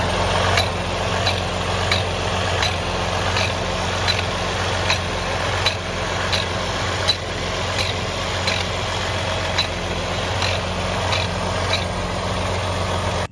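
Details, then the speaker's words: Detroit DD15 truck engine at idle: a sharp metallic tap about every two-thirds of a second, an unexplained knock; the truck also has excessive regens and fuel draining back to the tank overnight. "So we've been dealing with a couple of problems on this truck. First of all, it's got a really weird noise."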